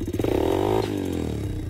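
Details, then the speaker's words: RFZ 125cc pit bike at idle during carburetor adjustment: light fast tick over the small single as revs swing; valves said properly adjusted, likely slack timing chain slapping the tensioner, not harmful, disappears when accelerating. "on entend les antiquités qui critiquent me disent passer les soupapes qui sont mal réglée elles sont allées super ça doit être simplement lâchait il tape contre le tendeur de tarifs"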